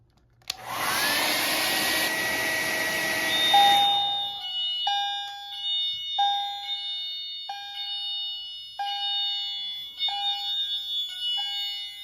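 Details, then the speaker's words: Notifier NFS-320C fire alarm panel demo, multi-criteria detector triggered with heat after pull stations on devices 1 and 2 and zone 1 alarmed: hot-air blower hiss, then a steady bright chime about once a second; fire alarm activation. "Alarms on devices 1 and 2, which are both pole stations, as well as zone 1, which is the fire alarm zone."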